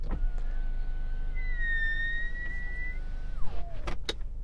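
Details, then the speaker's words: Genesis GV70 electric window, normally very quiet, moving while the glass is wet: a thin whistling squeal rises and holds, then slides down in pitch; owner unsure if all GV70s do it; power window motor squeal when wet. "while the electric window motors in this car are very quiet if the window is wet you get this strange noise"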